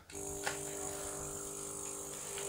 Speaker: так работает компрессор это на режиме хай включим режим low вот так я думаю да достаточно он тихий